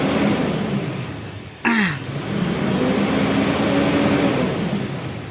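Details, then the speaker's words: Mitsubishi Strada Triton Exceed VGT diesel (2012–2015) revs evenly with no misfire after cleaning the dirty intake and EGR; previously shook, stumbled and smoked white around 2000 rpm; sensors scanned fine. "sudah sembuh tidak ada masalah lagi di mobil Strada Triton ini"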